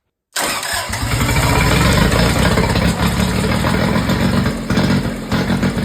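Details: Kubota diesel generator started with air box off and a block-off board fitted, fuel pump jumpered, after oil and fuel system work: brief crank catches quickly, then a steady, even clatter with no misses; normal start and run.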